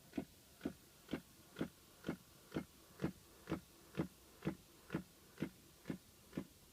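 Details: 2006 Pontiac Solstice, recorded in a quiet cabin: sharp, even clicking about twice a second, present every time since the battery was changed; cause unknown.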